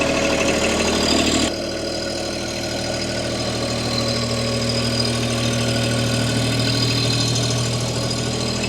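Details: Bobcat MT100, 3-cylinder Kubota diesel, cold start at about 0°C after a glow plug cycle; catches at once and settles to an even, steady idle clatter with no misses or knocks; normal cold start and idle.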